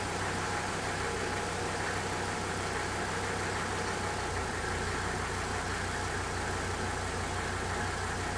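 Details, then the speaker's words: 1985 Mercedes 300 turbo diesel wagon, cold start after sitting overnight, following lift pump rebuild to cure start-then-quit when cold: steady even diesel clatter, no stumble or surging, holds idle; believed fixed, pending a few days' driving. "I think we've fixed this problem. It's going to take driving it a few days to make sure."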